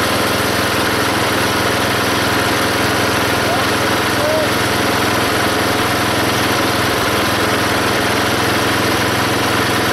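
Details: Belt-driven log splitter small engine after fitting a homemade spring-tensioned idler arm and pulley to stop the belt flying off: steady even drone while splitting a log, no squeal or slip; hardly any belt or pulley slipping.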